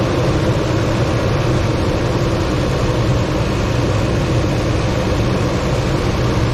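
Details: 2006 Toyota Tundra just after fitting a new battery, replacing one at 47% health: steady even low rumble with no stumble or misfire after a strong start; normal idle.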